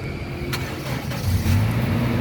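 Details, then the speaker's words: Start of a 2012 Toyota Kijang Innova 2.0 G automatic, 49,000 km, one owner: brief starter crank, then the engine catches promptly and settles into a smooth, steady idle; a sluggish start would point to a weak battery or starter. "pada saat kita Nyalakan mobil kita cek pastikan bahwa nyalanya itu jereng karena apa kalau dia nyalanya tersendat Berarti ada kemungkinan permasalahannya bisa jadi di akinya sudah soak atau dinamo starternya yang bermasalah"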